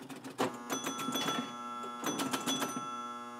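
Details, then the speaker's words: Restored Gottlieb High Score electromechanical pinball machine with a coil stuck on: steady relay buzz under a burst of clacking from the 50-point relay, which pulsed five times while the score reel stepped only four; dirty contacts. "it was five times the score reel only went four times so there's some other little dirty contacts in there"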